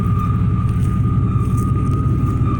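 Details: 1995 Chevy Silverado K1500 Z71 with 415,000 miles: thin steady high whine over the low idle rumble, of unknown origin, a noise the truck keeps making.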